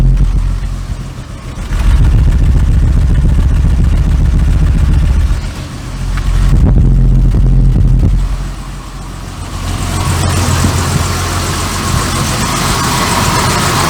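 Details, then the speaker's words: Barn-find Jaguar Series 3 V12 after fuel tank cleaning and new solenoids: low, steady idle with an uneven stumbling beat about four times a second, missing on both banks on either tank. All injectors click; the plugs may be pulled next. "Still sounds like she's starting with fuel. Definitely missing a bit. I've got a miss on both tanks."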